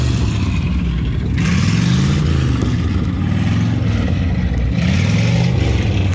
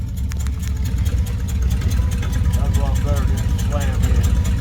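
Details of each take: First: 1955 Dodge with used eBay automatic transmission on a drive: revs climb and drop in steps, smooth shifts with no slipping or flare; normal automatic shifting. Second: 1955 Dodge with a used roughly 70-year-old transmission, on the lift in gear at low idle: faint whirring over the steady idle; transmission whine, cause unknown, possible ATF leak near bell housing.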